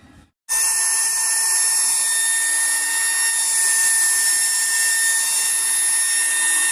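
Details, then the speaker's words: Iconic hair dryer after replacing the burnt-out motor with a new one: switches on to a steady high-pitched whir, even pitch, no rattle or surging; runs normally. "इसके जगह पे हम लोग अभी iconic का बहुत ही अच्छा motor लगाए हैं और ये पूरी तरह से ठीक हो गया है।"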